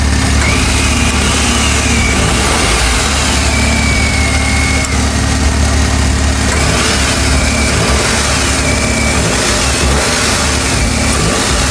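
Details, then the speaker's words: 2022-on Suzuki DA17 minivan small three-cylinder petrol engine with intake and exhaust VVT: smooth even idle, steady low drone, no ticking or the slight knock of older single-VVT R06A engines. Normal idle. "pakinggan ninyong mabuti mga boss kung gaano kaganda yung sound. Dahil para sa akin, na-eliminate na talaga yung medyo knocking sound konti."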